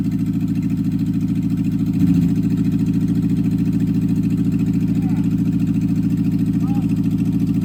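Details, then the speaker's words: 1964 MG Midget Mk II engine running after sitting 30 years in the woods; the carbs still need a rebuild and one is stuck. Steady low throbbing idle with a quick, even pulse and a brief rise; it surprisingly runs. "um but it actually runs I'm I'm pretty surprised"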